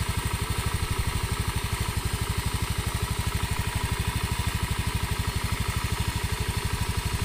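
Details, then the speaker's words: Honda Scoopy after replacing cracked non-standard high-compression piston with standard K44/K46 piston: even, steady idle putter about three beats a second, no knocks or rattles, starts instantly, no oil seepage; smooth normal idle. "mesinnya halus tidak seperti kemarin starter langsung jereng oli juga tidak ada yang rembes"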